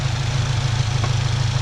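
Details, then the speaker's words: 2022 Subaru WRX turbo, still a little cold, on ramps with e-brake on, after Perrin charge pipe install: low steady idle, even pulses, fans running, no hunting or hissing; normal idle, no boost leaks. "It's still a little bit cold, but it's fine. This has no boost leaks."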